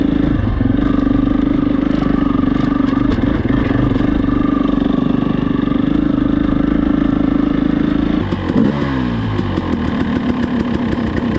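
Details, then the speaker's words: Dirt bike with idle screw mod being tuned, ridden in third gear barely moving: slow uneven "tut, tut, tut" chugging under a steady drone, engine straining at very low revs in too high a gear; lugging. "I just pop it up to third and I'm barely moving. It's like tut, tut, tut, tut,"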